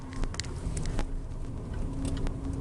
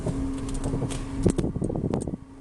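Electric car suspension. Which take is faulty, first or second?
second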